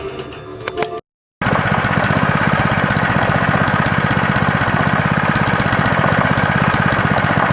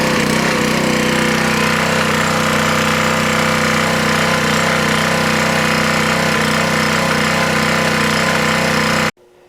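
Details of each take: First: Honda swap-meet small engine after carburetor cleaning, a new fuel hose, fresh oil and a pull-start fix: after some handling noise it settles into a steady, even chug at an unchanging speed, running normally. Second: Honda swap-meet small single-cylinder engine (GC190 or GX160), started on choke, running on governor: fast, uneven, slightly hunting beat before cutting off, smoothing the longer it ran; rough running, carburetor needs cleaning.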